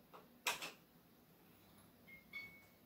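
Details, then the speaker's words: Ceiling-installed 4×18W ferromagnetic fluorescent fitting, tested in full darkness: a couple of sharp starter clicks, then a faint thin high ring as tubes strike; normal startup. "Voilà. On voit bien les starters s'allumer d'ailleurs. Hein. Mais voilà, non mais vraiment ça éclaire bien ma chambre."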